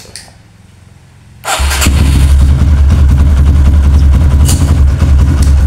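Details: Kawasaki KLX with a new battery that drops overnight and won't crank in the morning, battery fully charged, repeated starter test: short quiet spell, then an instant catch into a strong, steady idle; 13 starts, battery judged normal for now.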